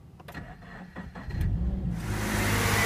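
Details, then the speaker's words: Toyota GT-86 with FA20 boxer engine (12.5:1 compression), 1 year 3 months old, battery too flat to crank, jump-started from a booster pack: after a brief pause the engine catches and settles into a steady even idle, a normal start. "as you can hear the boxes engine is now running"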